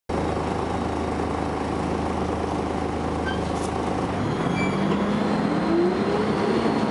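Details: First Manchester Volvo B10BLE bus 60403 (S670SVU), recorded 30 May 2011: steady diesel drone, then a thin high-pitched whine climbs in pitch as the bus pulls away and speeds up; strange whine, source undetermined.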